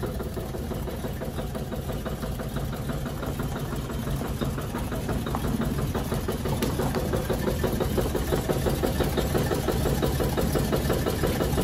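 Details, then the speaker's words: 1953 Chevy truck after new fuel tank, fuel pump, tune-up, radiator and water pump: steady low engine drone with a faint regular knock around three per second that grows as the revs pull down in gear, absent out of gear; engine knock under load, cause unconfirmed. "i'm listening to this motor on the car and uh when i put it down in gear it seems like it gets a really bad knock on there but you know not out of gear it doesn't it's like when it pulls down the rpms and it's just like you know got that sounds like a knock"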